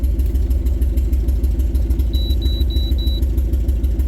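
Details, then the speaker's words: Suzuki/Geo Tracker, 5-speed 4WD, rusty, running after sitting: uneven lumpy idle with thumps breaking rhythm, code 303 misfire; crank sensor found to cause misfiring when hot. "Code 303 says it's misfiring. It wasn't misfiring before. seems like it is."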